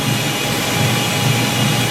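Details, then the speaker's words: Autoclave sterilization cycle with jacket pressure about 28: steady rushing hiss with a low hum underneath as steam pours from the jacket into the tank, normal mid-cycle flow. "actually says about now all this stain from the jacket pouring into the tank"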